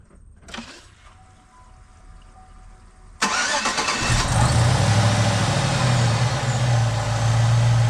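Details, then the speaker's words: Supercharged (Edelbrock E-Force) 2008 Chevy Tahoe LS V8 after lifter replacement: brief crank, then a steady, even, smooth idle with no ticking or knocking, no smells, no codes; normal idle. "Yeah, good stuff now. Everything sounds good. I'm not hearing any noises. Really smooth."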